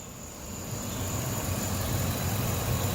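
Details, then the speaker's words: Ford F250 5.4 Triton V8 at idle after repair with new spark plugs and new passenger-side lifters: steady, even low rumble, no more ticking or knocking previously heard by the passenger fender. "smooth running 5.4. We put new plugs in it, new lifters on this passenger side, and she's running strong. No ticking, no knocking."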